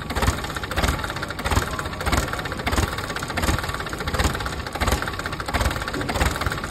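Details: PC10 excavator diesel idles lumpy and weak, surging about every two-thirds of a second after a no-start repair; air still in the fuel system, bubbles visible in the return line until it purges.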